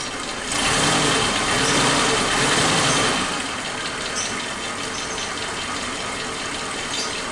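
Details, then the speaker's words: Suzuki Katana original AC compressor, leaking oil, seal replaced months earlier, cooling reduced, recorded with engine running before replacement with Denso 447220: rough hissing snore over engine, worn noisy compressor. "ini teman-teman banyak suaranya sudah berisik Tapi ini masih berfungsi ya kalau misalkan tidak bocor dia masih dingin sampai mungkin dari bawaan bawaan mobil ini lahir"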